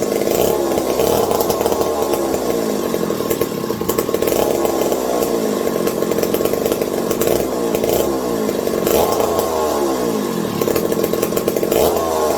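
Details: McCulloch 740 chainsaw after coil gap fix and swapped spark plug: revs cleanly up and down the throttle and settles back without bogging; runs strong. Owner hopes no air leaks; loose carb linkage wants to hold about quarter throttle and may run lean.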